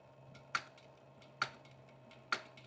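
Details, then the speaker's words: Cobra 5550BB boot-top leather sewing machine, stitching with a needle that needs twisting: sharp single clicks about every 0.9 seconds over a low motor hum as the misaligned needle ticks, risking damage to the shuttle hook. "Okay, I've got to twist that needle so I don't damage my shuttle hook, but the show must go on."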